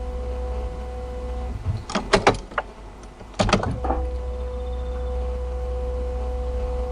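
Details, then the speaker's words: Peugeot 3008 1.5 BlueHDi after an oil service and filter change, ignition switched on to prime the new diesel filter: steady electric buzz of the lift pump with brief clicks and knocks, some air bubbles heard; normal priming. "On entend la pompe de gavage. J'ai pas fait gaffe avec la musique. Ouais, on l'entend."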